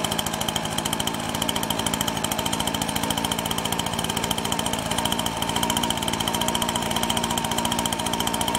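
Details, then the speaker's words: Husqvarna 125BT backpack blower two-stroke, spark plug wet, running after restart: fast, high-pitched buzz slightly uneven in beat; mostly runs but spits, leaking somewhere, cause not found; running rough. "all right so it looks like pretty much mostly runs well - spit it out a lot of like it's leaking somewhere I didn't figure that out"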